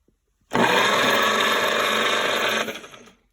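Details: 1940s GMC 270 engine, first crank in 20+ years after rust and water damage cleanup, starter swapped and connection cleaned: strong steady two-second starter whir spinning the engine evenly, no grinding; healthy cranking.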